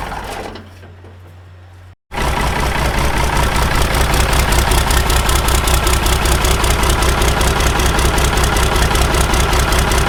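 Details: Ford 5000 tractor swapped from its original 4-cylinder to a Ford Brazilian 7.8 six-cylinder turbo diesel (from an L8000), restart after first fire-up, after sitting long: catches after a brief pause, settling into steady even diesel clatter with firm low rumble; normal idle.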